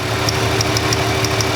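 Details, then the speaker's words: Ford Freestyle 3.0 V6, no-code misfire on cylinder 1, idling: sharp, regular ticking snap about six per second over the idle; ignition coil arcing to ground through its housing. "You can hear it arcing, but you can see it jumps that little air gap. As soon as I move away a little bit, it no longer jumps. But I hear it arcing somewhere, and it's, ooh, there it is."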